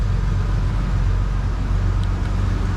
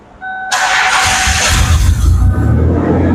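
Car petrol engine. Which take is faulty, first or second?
second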